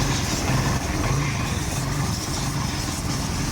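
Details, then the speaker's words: Kawasaki Barako 175 after replacing the carburetor whose piston/slide rattled and raised idle (block, idle and kick gears already replaced earlier): low even idle putter with no tapping or rattle; now quiet and normal. "Ayan, papaanda rin natin ito mga brothers, yung magiging resulta ng pagkapalit natin ng carburetor. Okay? Ayun o, tahimik na o."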